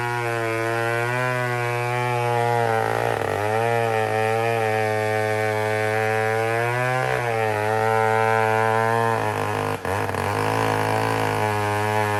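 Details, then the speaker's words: Old 150 chainsaw after a carburetor problem was diagnosed and repaired, now cutting logs with a short bar. A high, clean buzz holds strong revs and sags briefly as it bites into the wood before recovering quickly; it cuts well. "So, listen to it. There it goes. So, it cut deadly. I almost feel like throwing a longer bar on it."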